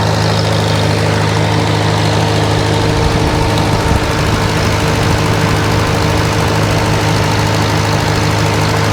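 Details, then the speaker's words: 1947 Farmall A, after carburetor jet turned up from lean and only the burnt ignition switch found faulty: steady even low idle thump, no misses or surging; sounds real good. "All right. I get about right there. That sounds real good."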